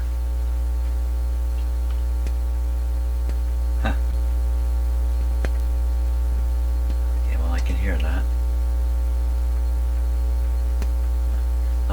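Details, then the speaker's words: General Electric RD400 record player, testing whether the cartridge works with all volumes turned up full: loud, steady mains hum drowns the output, only faint sound above it. Weak signal with hum, cause unclear. "oh major Hummer okay what can we hear with this nothing but the hum is too much"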